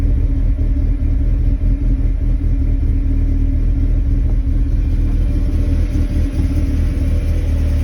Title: 01 NB MX5 Cold start rough idle, idle droop was stalling at times while driving coming to a stop